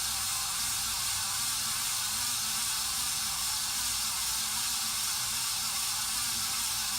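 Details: 53" Casablanca Spirit of Saturn ceiling fan, before bearing replacement: a steady loud hissing rush over the running hum from worn-out motor bearings, which were later replaced.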